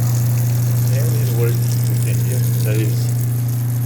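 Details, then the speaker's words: Garbage disposal that wouldn't turn on: its stuck grinder was loosened with the under-sink wrench and the reset button pressed. It now runs with cold water as a steady, even motor hum, spinning freely with no grinding or stalling. Normal operation. "and it is good now. So the thing was, it was stuck a little bit."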